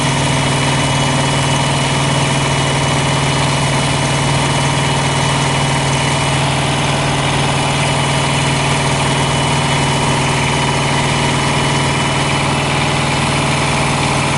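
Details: Thermo King Evolution APU diesel on a truck, just started after priming fuel into pre-filter: steady, even idle with constant low drone, no misses or knocks; normal idle.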